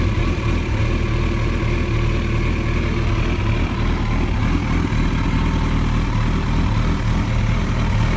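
Deep, uneven idle with a loose clatter and lumpy pulses that never settle into a steady beat; the engine is running rough, cause unclear.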